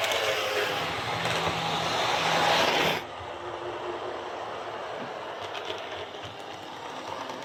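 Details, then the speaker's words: Airfix Class 31 model loco on the layout after the worm gear was tweaked to restrict armature movement: a soft, even motor whirr with no gear chatter. Normal quiet running, much improved. "So that's running really well. It's quite remarkable just how much quieter that is compared to what it was just by tweaking that worm gear just to, restrict the movement of the armature."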